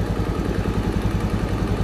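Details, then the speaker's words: 2014 Honda Beat FI scooter, hard starting and using too much fuel, idle screw adjusted with scanner reading injector value three: slow, even low thumping, ticking over slower than normal; idle speed set too low; normal reading is two. "Jadi kalau misalkan kita kecilin langsamnya si injektornya jadi boros tuh jadi diangkaat tig"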